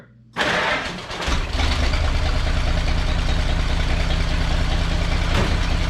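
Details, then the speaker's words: Engine catches and settles into an uneven idle, the beat stumbling now and then; one cylinder missing because two spark plug wires were routed touching each other, crossfiring. "still missing todd don't usually miss i just had add one wire up against the other one hey"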